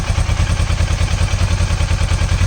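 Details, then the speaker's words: Kawasaki Versys 650 after cracked IAP sensor vacuum pipe was trimmed and refitted (temporary fix), previously hissing with erratic acceleration: steady, even idle with no hiss or stumble; noise gone. "so the noise that it was making it has disappeared so this works"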